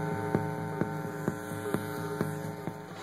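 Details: Dell Dimension sound card feeding an equalizer, receiver and speakers, played at full volume: a loud steady low hum fills the output with faint regular ticks about twice a second; mains hum at the audio output.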